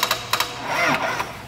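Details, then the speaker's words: Sharp dry clicks in quick pairs with no cranking from a vehicle that failed on the road: flat battery, so the starter only clicks. "beleza bom esse barulho pessoal é a bateria arriada"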